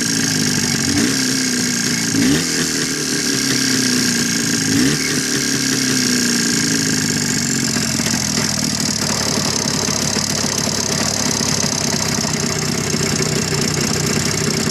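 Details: Jawa 634 two-stroke motorcycle engine: after closing the throttle, at idle, an uneven knocking appears under the idle beat; source not pinned down.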